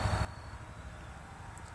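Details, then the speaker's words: Key on, engine off after Walbro fuel pump install, fuse and battery negative reconnected: faint steady low hum of the new fuel pump priming normally. "I'm about to put the key in the ignition and uh turn it on to the on position but I'm not going to start it I'm going to let the uh fuel pump Prime you should be able to hear it"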